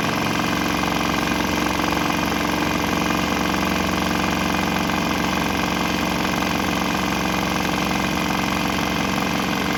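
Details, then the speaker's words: Swan X 165F Chinese single-cylinder diesel on a shipping crate, vibrating heavily, running on used canola fryer oil, throttle on start setting; steady even chug, no misses or stumbles; normal running on waste vegetable oil. "Unfortunately, this guy vibrates itself to pieces, and I got it mounted on a shipping crate, so it's vibrating around pretty good. But it seems to run on that. It didn't stop."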